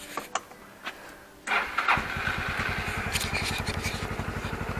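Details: Suzuki Burgman 250 scooter after its charging problem was fixed, battery 12.9 V before starting and about 13.9–14.1 V running: starter whirrs briefly, engine catches at once and settles to an even putter about three beats a second; normal.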